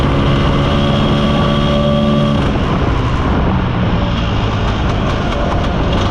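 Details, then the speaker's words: Mostly original Spanish Lambretta Jet 200 two-stroke scooter on test drive: drones at steady low revs without picking up, flat rich burble that won't clear, mid-range splutter; main jet too big. "we didn't have to go far to see how bad the carburation was so uh the main jet's too big for starters it just doesn't rev and it's got quite a bit of splutter in the mid range as well"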